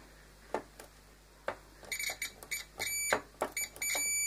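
A few probe clicks, then a clear high beep that holds steady: the cleaned grinder switch now conducts when closed.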